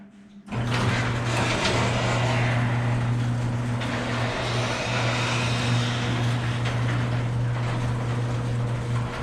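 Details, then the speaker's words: Very old garage door closing: steady rumbling rattle with fast irregular clatter as it travels down the track, sounding awful before roller replacement; noisy garage door, worn rollers. "okay today's project is this really old garage store it sounds [Music] [Applause] awful"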